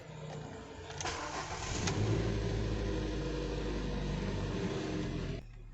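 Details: 2013 Ford EcoSport 1.5 L petrol, which went into limp mode after about 15 km warm with codes P2135, P0122 and P0222, after the ECM connectors were tightened: brief crank, clean catch, then a smooth steady idle before shut-off; codes now stored, none active.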